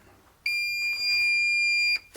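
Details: Low-grade Solar brand battery charger; single steady high-pitched beep about one and a half seconds, the charger's fault alarm, cause unclear.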